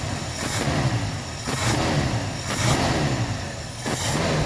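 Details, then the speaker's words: Ford Galaxie 500 being revived: the engine idles, then revs up and settles back about once a second, clean and even with no knocks or misses, and sounds really good. Normal running engine. "Sounds really good."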